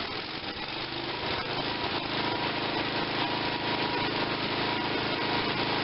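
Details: Tecumseh 5.5 hp small engine: runs ragged and uneven at roughly 200 wandering beats per minute; owner suspects low compression or fuel starvation; rough running.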